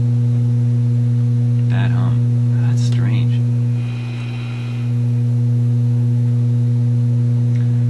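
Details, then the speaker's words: Yugoslavian-built Florida AM/FM/shortwave tube radio on checkout, tuned around 6 MHz shortwave with no antenna: loud, steady low buzz unchanged by tuning; suspected power-supply hum, not confirmed. "like a power supply hum."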